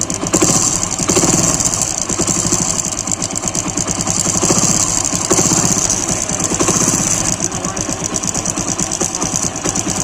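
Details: Motorcycle (Splendor Pro) idling with a fast, light metallic chain-like rattle over the steady beat despite a recently replaced timing chain. Source of the rattle not yet identified.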